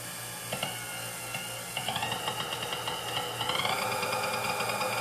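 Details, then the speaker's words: Vintage Sunbeam Mixmaster Model 11 after service including field coil removal and lead extension; smooth motor whine stepping up in pitch through the speeds, no grinding or stalling, sounds and runs good. "as we got full range of speeds now it's sounds good runs good"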